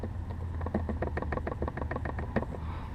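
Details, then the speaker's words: Cabin rattle while driving: quick, uneven buzzing taps over low road rumble as the dash trim rattles against the A-pillar. The glove compartment also jiggles. "um one of the areas that I noticed is the glove the glove compartment this tends to jiggle back and forth don't know if you can hear it another area that makes a lot of noise is between the dash and the a pillar"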